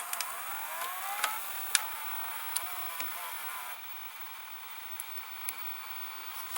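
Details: 1987 Emerson VCR872 VCR, gear-driven idler with no tire: quiet motor whir with light scattered clicks as the mode switch turns, no grinding or slipping; mechanism fully working.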